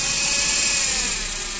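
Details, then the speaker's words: Daihatsu Ayla 1000cc, oil light flickering: thin high whine from low in the engine under revving, worse mornings, fades when hot; suspected oil pump. Sludged oil found, oil pump rotor scored and replaced. "Nah, untuk penanganan kalau dianalisa itu seperti pompa oli ya, suaranya di bawah sana. Lalu kita gas."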